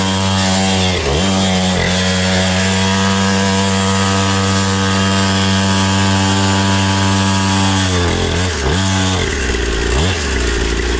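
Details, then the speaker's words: Temu 49cc two-stroke pit bike during a race lap: the engine screams at steady high revs, its pitch dipping as it lugs, while speed barely builds; the centrifugal clutch slips and overheats, smelling afterward. "Oh, that poor clutch is getting cooked. It doesn't."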